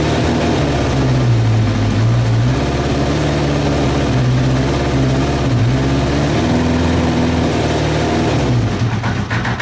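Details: Kawasaki Eliminator ZL600 old four-cylinder bike that had not run, with fresh petrol, new plugs, cleaned carbs, new battery, fresh air filter and old oil, runs steady on choke, even firing, slight rev swing, no knocks: normal running.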